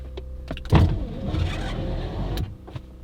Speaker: window went down that's good